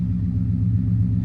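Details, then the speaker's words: Auction V8 whose oil-change sticker suggests possibly only 36,000 miles on the engine: a deep, steady low rumble at idle with an even beat and no ticks or knocks. It idles normally and is "purring like a kitten". "which makes me think possibly the engine only had 36,000 miles on it, because the engine sounds great. It is purring like a kitten."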